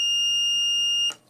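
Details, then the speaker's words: 5 V-rated active buzzer driven directly from a bench supply, around 3-5 V, drawing almost 25 mA: steady piercing high beep holds about a second then cuts off cleanly; buzzer sounds normally and loudly. "I'm just gonna quickly buzz it and there you can hear how loud it is right there"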